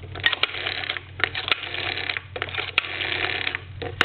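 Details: Vintage Siemens Milano wall telephone after its rotary dial was gone through and adjusted: even, whirring dial returns with crisp, regularly spaced pulse clicks and no drag or hesitation; the dial works properly.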